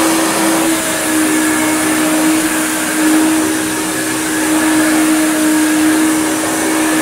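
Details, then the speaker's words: Hoover Turbopower UB088 upright vacuum (about 1996), described as new in box but broken since new with a funny noise. After repair it brushes the rug with the brush roll fitted: a steady motor whine and smooth airflow rush with no dropouts. The whole fault was one spade connector. "Absolutely fine. Literally all its problems were just that one spade connector."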